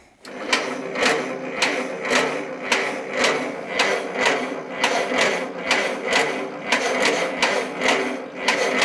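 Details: 1943 Case SC tractor after years sitting, carburetor needle and seat possibly not seating, fuel leaking: steady rhythmic cranking about two strokes a second with sharp firing pops but never catches; fuel delivery suspected, unconfirmed.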